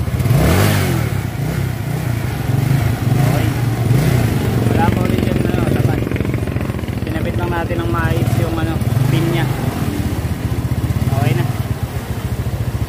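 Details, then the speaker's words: Yamaha Mio scooter after CVT reassembly: engine revs and settles smoothly with steady low drone, no rubbing or scraping from belt drive side; cover no longer touching, noise gone, normal running. "Okay an 2018 okay na Hindi na sumayad Okay na yan Wala ng ingay yan"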